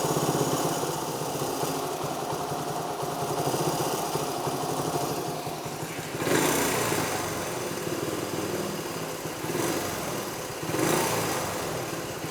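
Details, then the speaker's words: 1973 Honda CT90 idling on its cleaned, rebuilt original OEM carburetor, which replaced an aftermarket one; adjustment toward spec only just begun. Small single putters at a steady, even idle with no stumbles, fan hum in background; runs far better than before; normal idle. "You heard this thing. I've just barely started to adjust it, you know, into spec, but I can go ahead and tell you it's worlds better than it was with that aftermarket one."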